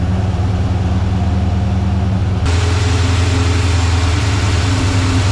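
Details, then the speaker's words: 1985 Chevy C10 Blueprint 350 V8, hot, timing about 15° advanced, needing excess carb fuel just to idle at 500 rpm: deep, slow, lumpy idle with a tone step; low rough idle, owner suspects a vacuum hose in poor shape. "I just hate to give it too much timing, but right now I have to give it too much fuel on the carb to get it even to to idle at 500."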